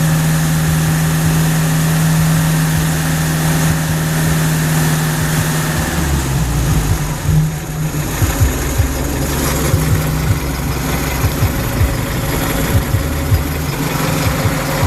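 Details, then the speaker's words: 1967 International Scout 800 under rebuild: steady, even idle, then several quick throttle blips rising cleanly and settling back; starts right up every time. Normal idle and throttle response. "It starts right up every time. So here she is running. I'll go ahead and grab the throttle here and give it a little bit of gas."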